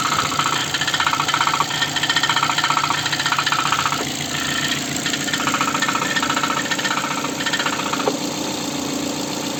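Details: Ford engine at idle: steady idle carrying a fast, fairly even light knock, roughly four per second, over the engine note; engine knock, source unclear.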